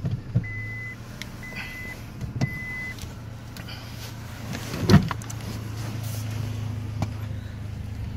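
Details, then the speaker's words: 98 Honda Accord with a delete, idling: low, steady, quiet idle hum with a few clicks and a brief whir nearby; engine runs smooth and even; normal idle. "it sounds good with a delete see you guys can hear it's real quiet idling here"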